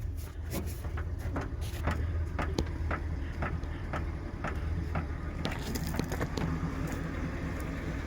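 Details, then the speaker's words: 1978 Mercury Marquis Brougham with a 400 engine, newly fitted fuel pump, while driving: low road rumble with scattered irregular sharp knocks, like something hitting inside the rear quarter panel or trunk; cause unconfirmed, possibly something dragging on the road. "sounds like something's hitting inside this quarter panel when you're moving"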